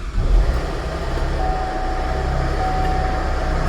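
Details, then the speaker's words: 2010 Chevrolet Traverse, sat about a year, no-start case, now running: engine runs rough and heavy, not sounding happy, with a faint steady whine and rattle from the front; failed A/C compressor. "she runs but she doesn't sound happy so I'm going to cut it off so so she is running but she does not sound happy"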